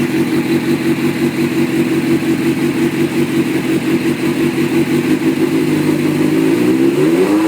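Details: 2003 Suzuki GSX-R at idle: uneven, stumbling, lumpy beat with irregular pulses. It has misfired for three weeks with codes C24–C27 and the FI light on. New coil sticks, plugs and ECU did not fix it; resetting crank sensor gap to 0.030 in helped only a day.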